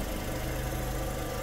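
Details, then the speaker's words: A VW Lupo 1.6, after a head gasket and cylinder head rebuild for milky oil, holds a steady, even low idle with no knocks, misses or hunting, the cooling fan cycling; no leaks and fluid levels checked, it runs perfectly. "carrito está trabajando en perfectas condiciones ya le pusimos su tapa y cómo lo escuchan Pues yo lo escucho de 10 lo escuchamos de 10 el poderosísimo lupo"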